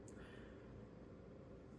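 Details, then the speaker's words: Sony PS2 30000 series fitted with a 50000-series fan, running after reassembly: a soft, steady whir and even hum, no rattle, quieter, kicking up as voltage rises to 7 V. The cooling fan is running normally. "it's now all back together plugged in going to test out the new fan much quieter should kick up a bit now"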